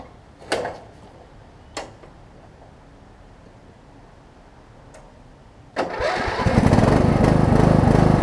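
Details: Wizard (Craftsman) riding mower after deck install, bracket weld and new deck belt, final test: a couple of clunks, then the engine catches and settles into a steady, even drone; starts readily and runs healthy. Normal running.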